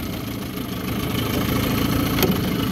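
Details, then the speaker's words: Small two-stroke burbling at a steady, even idle with water splashing behind, after shifting back from forward. This is a serviced 1974 Johnson 15hp outboard on a pond test, not yet up to temperature, and its idle may need fine-tuning. Runs clean. "back in the forward back down to idle yep seems to be doing pretty well i might need to fine-tune the idle once it's up to temperature"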